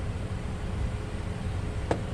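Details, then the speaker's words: Nissan with a CVT transmission at 110,000 miles: a faint steady whine rides over a low running rumble, coming from the transmission pump. Nissan does not recommend rebuilding these. "I can already tell you I have a good idea of what the problem is, because we can hear that whining sound coming from the pump."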